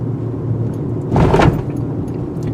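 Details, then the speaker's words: 2018 Toyota RAV4 Adventure with larger wheels and tires, crossing a speed bump at about 30 mph: a single dull thump over road rumble, heard but barely felt; normal suspension noise with a stable body and nothing loose. "as I said you can hear that thumping but you don't really feel like this is very strong body structure very stable not an issue"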